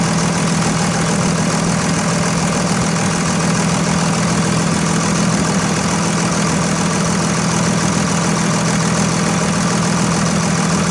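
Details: 2001 Dodge Ram 2500 Cummins turbo diesel after installing a Fleetguard FS19855 fuel filter, bowl left mostly full: loud, even diesel clatter at a steady idle with no stumbling or dying off, normal diesel idle.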